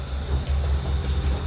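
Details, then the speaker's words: Lexus LS460 V8 rough idle, lumpy and stumbling with a missing beat; cylinder 1 (bank 2) found misfiring, no misfire code; plug replaced and coil swapped to another cylinder to test whether the coil is at fault. "engine idling on this car is very rough if you are watching this video then there is a chance you're having same problem"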